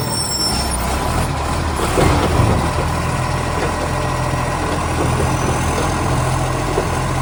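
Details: Garbage truck SL757, a spare that has started slamming: heavy diesel rumbles loud and deep with a raspy, blatting edge over the engine note; exhaust leak.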